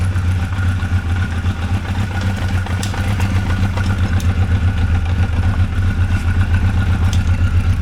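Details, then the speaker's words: 1985 Honda CB1100F, barn-stored 20 years, first start after quick carb clean and new gas: steady, even low burble at idle, no knocks or misses; runs as it should. "So, you just saw it run uh uh runs as it should, it sounds like."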